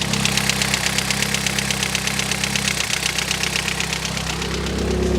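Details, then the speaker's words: R56 Mini Cooper S, cheap purchase, struggles to start, possibly on low fuel, smells rich, soot from exhaust; light quick ticking over unsteady idle with occasional stumble, revs dropping, seems misfiring: tappy idle. "And like I said, the engine is a little bit tappy, but it's not terrible."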